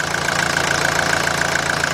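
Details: 1981 Mercedes-Benz 240D diesel, whole vehicle and reservoir tank shaking, worse in Drive: sharp metallic tick about seven times a second over a shaking, pulsing idle; rough running with knock, cause not yet found.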